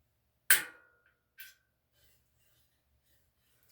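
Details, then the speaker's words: Bicycle wheel truing on a Park Tool TS-25 stand: two sharp isolated cracks a second apart as twisted spokes pop free while the nipples turn, which is normal. "Now it's very normal to hear some cracking, popping like that. And it's like the spokes, the nipples are turning, but the spoke might not necessarily turn."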